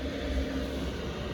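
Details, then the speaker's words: Chinese diesel air heater in a Nissan NV200 camper van, power turned down from 5 kW to 2 kW with reduced fuel pump flow: a steady, even low roar with no surging, sputtering or knocks; burning cleanly, running normally. "it's uh it's running really well now so with my in particular one there's two settings right 2 KW or 5 KW power so I've turned it down from 5 to 2"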